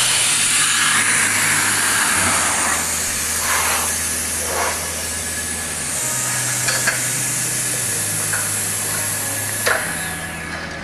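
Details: Hypertherm MaxPro200 on a CNC plasma water table cutting 12 mm plate at 200 A with oxygen/nitrogen gas; loud steady roaring hiss holding evenly through the cut with a low hum underneath, normal clean plasma cutting.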